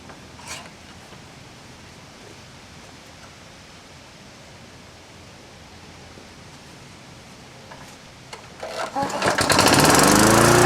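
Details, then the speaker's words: Toro Recycler mower. It fires after a long quiet and climbs straight to a high, buzzing speed with no idle-down because the throttle is held wide open. Engine RPM is too high, though the engine runs well and the bowl isn't leaking. "sounds like the uh engine RPM could come down that is just cranking uh we can do that"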